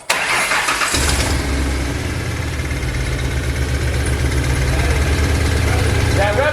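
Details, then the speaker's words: Ford Mustang first start after engine rebuild: brief crank, engine catches right away and settles into a strong, even idle with no misfires or odd noises; normal start and idle. "well I told you she'd start and she did uh that is super cool"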